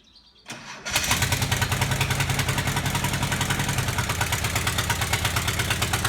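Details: VW Type 25 (T25) van being rebuilt, cold-start problem of slow cranking, after a battery and battery earth replacement: a short crank, catches quickly and settles into a steady, even idle with no misses; starts normally.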